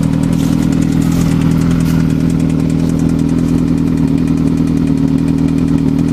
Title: Bad engine noise